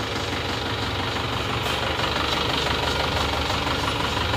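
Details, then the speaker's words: Isuzu Panther Touring (newer year) diesel before repair: rough, limping idle, engine louder with a loose tak-tak tapping about three times a second over the clatter, engine shaking; oil dipstick cap also smoking (blow-by); rough idle with tapping. "Ini yang sebelum diperbaiki adalah seperti ini. Suara mesinnya agak kencang dan suara tak-tak, tok-tok."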